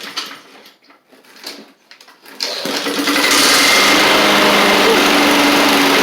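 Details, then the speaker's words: Husqvarna push mower with Honda GCV160, started after several pulls on a very cold day: loud, harsh, rattly buzz at steady speed, everything feels loose; blade striking the deck baffle. "okay that sounds a little not good let's just make sure that everything's nice and tight down here I mean it just everything on here just feels loose for some reason"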